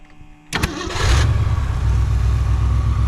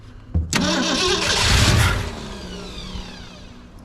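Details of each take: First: 1963 Mercury Comet 260 V8, off the road for 25+ years, after Autolite 2100 carburetor rebuild and with a working electric fuel pump: brief crank, quick catch, then a deep steady idle with a smooth, even low rumble; normal start. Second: 1963 Mercury Comet 260 V8 with an old Autolite 2100 carburetor, not driven in 25+ years: three cranking bursts catch briefly but never run. Suspected fuel starvation; the carb needs a rebuild and the power valve is possibly blown.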